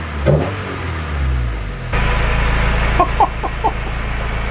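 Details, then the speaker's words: Honda del Sol warmed up, blipped a few times after new carbon fibre intake install replacing old intake; revs climb and drop cleanly with crisp even tone, no stumbling; normal free revs. "are you kidding me do you guys hear how strong that is like bro oh my gosh well that intake just made this car sound 10 times better than what the old crappy robot arm looking intake"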